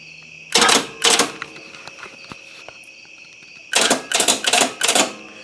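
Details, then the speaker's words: 1992 GMC Sierra (small-block V8, 5-speed manual) after starter replacement: sharp starter clacks, two then four, with no cranking because the battery is too weak. "i know you can hear that starter clicking this battery is no good either but that battery is completely gone"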